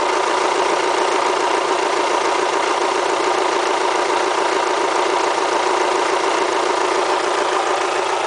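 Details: Kia Spectra petrol engine with 90,000 mileage at idle: a busy, diesel-like clatter with rapid ticking about twice a second over a hissy background; the owner asks whether it is critical, and the cause is unknown.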